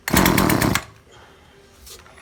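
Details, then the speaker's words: Fairly new chainsaw that stopped revving after some use, with an old spark plug fitted for testing: a short, harsh throttle blast that stays low and choppy, never reaches full revs, then fades. The chainsaw will not rev up. "ยังเร่งไม่ขึ้นครับ"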